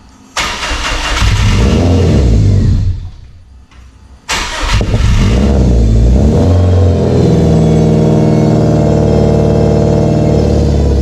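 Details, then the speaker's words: Subaru Forester STI on a stock longblock with a rotated Precision 6870 turbo, cold start in the high 20s to low 30s °F: engine catches, settles to high idle with a thin steady power steering pump whine, a longstanding cold-only problem; bleeding suspected. "So if you guys hear a whine, it's definitely gonna be the power steering pump. Maybe we need to continue bleeding it, but just wanted to let you know."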